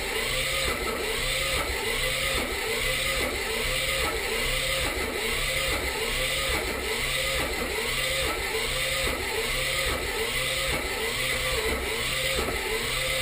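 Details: 1984 Mazda RX-7 rotary cranks steadily at a little over one beat per second but never fires; spark on leading and trailing plugs and timing are good, Marvel Mystery Oil added, fuel reaches carb; owner suspects low compression from a stuck seal or too-slow cranking.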